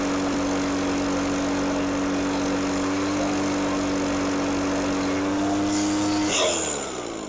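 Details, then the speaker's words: Echo PB413H backpack blower two-stroke with aftermarket Chinese carburetor, tach about 6000 rpm full throttle, 2600 idle: high steady buzz climbs slightly then falls away cleanly when released; normal full-throttle running. "It was about 2600 idle and about 6,000 full."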